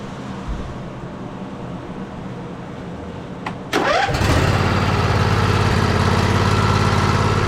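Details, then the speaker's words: John Deere L111 automatic riding mower, Briggs & Stratton 20 hp V-twin, over 1,200 hours, hard-to-crank complaint, just after valve adjustment to .004 clearance: cranks briefly, catches at once, steady even idle without knocks or misses; normal idle. "Turn the key over. Perfect. That's a valve adjustment on a 20 horse brick and Stratton V twin inte with over,200 and something hours on it."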